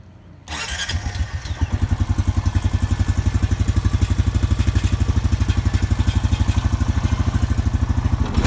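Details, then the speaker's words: Honda Rancher 420 ATV cold start after replacing the idle air control valve (IACV) to cure a rough idle: starts quickly and settles into a steady low thumping idle, even and not hunting; healthy cold idle. "Alright guys, so here's the cold start with the idle air control valve."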